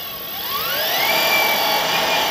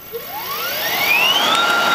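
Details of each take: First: Electric go-kart build, newly wired and programmed controller, motor spinning unloaded in forward with a non-error warning light: high-pitched whine climbs smoothly then holds steady; motor running normally. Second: Electric go-kart, unloaded motor on newly programmed controller: whine climbs and holds pitch instead of dying away after throttle release; motor keeps spinning, owner suspects a controller setting, more programming needed.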